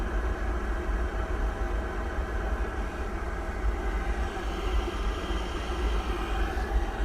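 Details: Pentair gas pool heater running after replacing a failed flue stack sensor: even, steady low roar with no cutting out or surging. Burner firing and holding normally; owner watching for an error or shutoff.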